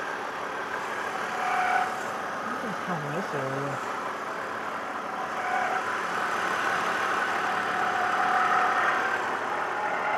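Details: BMW, engine running steadily: a light, recurring high-pitched squeak over the idle; its source is unclear.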